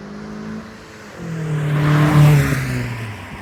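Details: 2010 Kia Forte Koup SX, 2.4L four-cylinder, six-speed manual, with a Flowmaster muffler, on a drive-by: a deep grumbly exhaust that rises and falls smoothly, louder than stock, running healthy.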